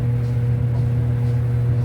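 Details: Whirlpool Cabrio dryer, previously squealing loudly and being fixed with a replacement idler pulley: a steady low drum-and-motor hum with an even rumble and no squeal or chirp, running normally.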